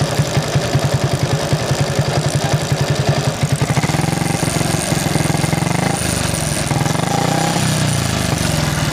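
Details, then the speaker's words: Motorcycle on a Tagaytay night ride: steady pulsing idle, then the note turns louder and harsher, a rough clatter every time the clutch lever is pulled in; still rideable, cause unknown. "So natatakbo pa naman siya, pero yun nga, kada clutch ko, kada piga ng clutch, grabe yung ingay."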